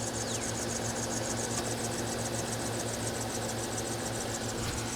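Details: 2012 GMC Sierra after tensioner pulley replacement, mic placed down by the belt drive at idle: a faint, high chirping squeak still repeats rapidly; not from the AC compressor clutch, idler pulley suspected.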